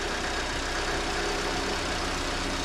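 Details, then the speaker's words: 2023 Lada Vesta NG automatic, cold engine warming up during an exhaust camshaft knock check: a steady drone with a wavering beat that stumbles now and then; rough idle, cause unconfirmed. "вот кстати видите как он дёргается То есть он работает [музыка] неровно"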